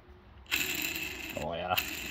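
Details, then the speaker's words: ZRT 600 snowmobile bottom end removed, crank spun by hand: a dry, gritty ratcheting rattle from the worn center crankshaft main bearings, while the end bearing stays quiet; the seals were leaking and the bottom end was replaced. "they're not flopping around or anything but definitely making noise is not good"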